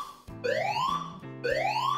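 Clear rising whoop tone, sweeping up in pitch about once a second and repeating cleanly; speaker sounds healthy and undistorted.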